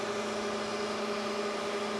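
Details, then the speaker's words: IBM X3650 M1 server with two 73.4 GB RAID drives, running on only one of its two power supplies with a warning light on: constant low electrical buzz and steady hum under fan hiss, no rhythm change; source unknown, to be checked. "You can hear something with the, you can hear like a buzzing noise or whatever, something's like electric or something, I don't know, we'll check it out."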